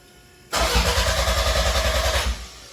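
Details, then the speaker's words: 1993 Toyota MR2 with 3S-GTE Gen5 swap, intercooler fan unplugged, cranked with fuse pulled before first start: quick, even starter chugs with no firing, fuel pump audible; cranks freely and sounds healthy. "Alright, sounds healthy. I do like 4 of these. Hear that fuel pump? That means it's working."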